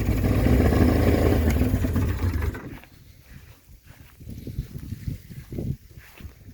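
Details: Mercury 40hp two-stroke outboard after its water pump impeller was replaced, with a little throttle: the starter cranks at a steady rapid beat for a couple of seconds without catching or firing, then releases; it cranks but won't start.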